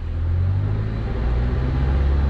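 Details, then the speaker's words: Mazda 3 (2004-2009) after belt tensioner replacement, held at 2200-2500 rpm where a bearing rumble used to appear: smooth low drone, no growl, only normal vibration from bad engine mounts; belt drive now healthy. "i'm not hearing nothing at all except the normal engine vibration because i got bad engine mounts"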